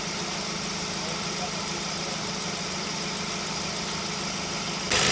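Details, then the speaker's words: Ford Focus, 93,905 km, about 10 years old, engine idling with AC compressor engaged after repair (original compressor kept; O-rings, expansion valve and drier replaced, oil with UV dye refilled): steady, even hum with no rattle or grinding; compressor running normally. "เสียงเครื่องยนต์ขนาดคอมทำงานนะครับ"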